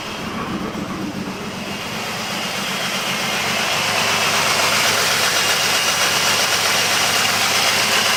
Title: 2005 jeep liberty rough idle